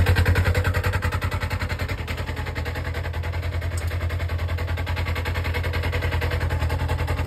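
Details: Polaris RZR (296564), engine idling in park with CVT cover on: hard, regular thumping about three beats per second from the belt-drive area; CVT noise, cause unknown.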